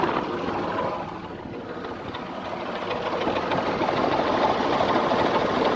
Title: Nissan VG33E Engine Knock